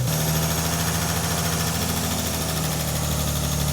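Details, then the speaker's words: Neglected car just restarted after long sitting: a steady idle with a faint light tick on top that quietens as oil circulates; lifters are thought to have bled down, not serious. "It quietened down a little bit. We still got a little tick. It doesn't sound too bad."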